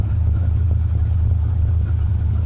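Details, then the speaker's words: 1974 Plymouth Duster V8, believed to be a 318, owner says it needs a carburetor: deep, low rumble holds steady with no dropouts or skipped beats, smooth idle with no misfire; normal idle. "yeah i love that car look at its shape and that ain't because it's missing it does need a carburetor but it's one sweet sweet little 318"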